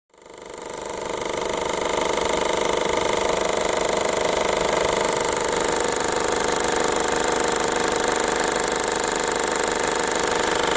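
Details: 2008 Peugeot 308 1.6 HDi diesel running: loud fast even metallic buzz and rattle from a split in the upper heat shield where it bolts onto the engine.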